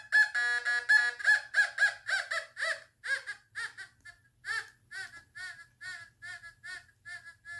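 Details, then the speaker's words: Fisher F44 metal detector air test, quarter past six inches: short warbling high beeps about twice a second, fading, faint but detected; target tone. "people are saying it couldn't actually read a quarter six inches down and that made me very upset um when it was on its way after i bought it it's picking it up after six faintly though"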